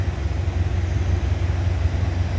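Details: 1931 Lincoln K V8, warm, engine temperature just over 160: smooth deep idle with even low pulse, no ticks, knocks or misses; normal warm idle.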